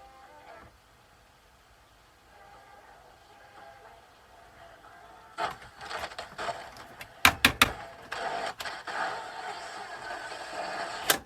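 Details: 1984 Sanyo MW1F boombox playing the radio: faint playback breaks into irregular crackles and sharp scratchy pops; scratchy volume control.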